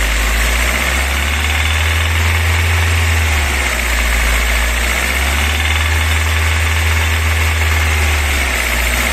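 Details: VAZ 21124 engine, bought with the noise, driven 13,000 km since, oil pressure 2 kgf/cm²: sharp ringing knock at about 1500–2500 rpm when revved unloaded, vanishes under load, quieter when cold; source unknown.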